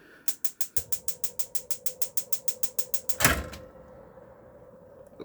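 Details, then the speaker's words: 2016 Swift Lifestyle 6 caravan oven igniter: about twenty sharp, even clicks, roughly six per second, then a soft whoomph as the gas lights and a quiet flame hiss; igniter working normally. "bottom there so that is all working as it should"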